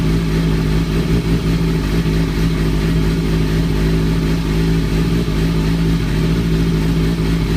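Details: 2003-2004 Kawasaki ZX-6R 636; deep steady drone with busy rattly chatter on top; owner suspects timing gear, tensioner reset per manual changed nothing; abnormal engine noise, source unconfirmed.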